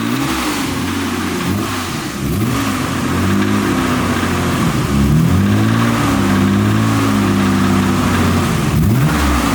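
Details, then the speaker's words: Nissan R32 Skyline GTR: under revving, a deep uneven knock follows engine speed over the exhaust note; caught early, rod knock suspected, not confirmed. "You caught it definitely hella early. All I know is I heard it and I was like, damn it. That's a noise where like some people question rod knock. Like, yeah, rod knock."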